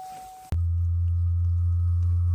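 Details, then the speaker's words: 2024 Buick Enclave Avenir salvage rebuild during the automatic brake bleed with a pressure bleeder at about 50 psi: a steady low ABS pump drone starts abruptly with a faint whine, ABS light on; the pump is working normally. "yep you can hear that and we have the ABS light on now so it's clearly working"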